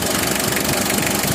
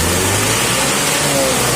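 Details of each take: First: Mitsubishi L300 diesel at idle. Sharp, rapid clatter over the whole idle, louder than factory; removing the injection pump shim upsets timing. Harsh diesel knock. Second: nafasnya lebih ngisi ini lebih padat ini karena tidak ada suara bedanya di sana guys ya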